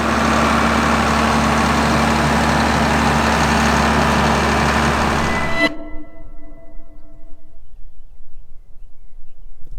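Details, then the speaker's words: John Deere 4960 tractor diesel just fitted with a new exhaust pipe, no muffler: steady even idle with a smooth low rumble, no knocks or misses, then clean shutdown; sounds good. "So who knows? Thing sounds good."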